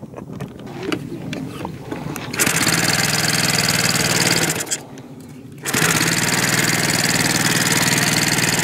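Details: OS Max FS120 four-stroke model engine after freeing a stuck exhaust valve that caused no compression: catches and holds a steady even high buzz, drops out briefly, then picks straight back up; smooth, healthy running.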